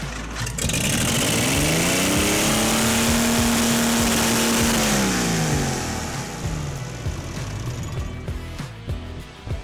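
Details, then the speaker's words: 1952 International L130 truck stock engine, sat idle for years, no exhaust, starter fluid, fuel off: fires and shoots straight to high revs, holds flat out a few seconds, then dies; throttle stuck wide open. "Now I've got the gas pedal hooked up so that it's not wide open. And that's what was happening before. The throttle was just stuck open."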